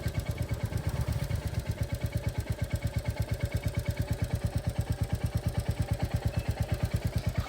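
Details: Nearly new 2025 Royal Enfield Classic 350 single, after its second service, idling: a crisp, regular tick about three per second locked to engine speed. A local mechanic says it is tappet noise.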